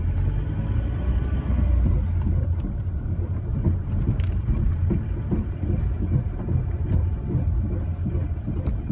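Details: 2005 Ford Mondeo ST TDCi on the move, with repeated dull knocks and very loud bangs under a heavy low rumble while driving.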